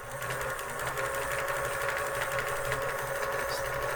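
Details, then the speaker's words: Pfaff 360 vintage portable sewing machine, thrift-store find, first test on the foot pedal: fast, even needle chatter with a steady hum and no knocks as speed increases; running normally. "yep I'll listen to that that doesn't sound bad at all a little faster it's working more"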